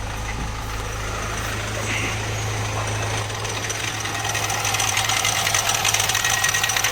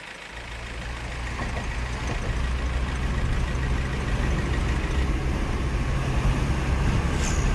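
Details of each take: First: Mahindra Marazzo diesel (Delphi common rail), knock began after refuelling: light throttle sends rpm racing with tak-tak knocking, about three a second over rough idle, normal after ignition cycle. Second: Mahindra Marazzo diesel with codes cleared: sound fully changed, smooth steady low idle with no ticking or knock, no trouble codes; healthy.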